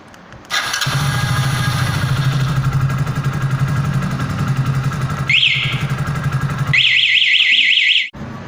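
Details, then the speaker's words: Hero HF Deluxe BS6 i3s bike, self-start checked after wiring the new alarm system to the orange wire: engine runs at a steady even idle, then the alarm gives a short chirp and rapid chirps; electric start works normally. "तो अब हम check करते हैं कि self चलता है या नहीं चलता है।"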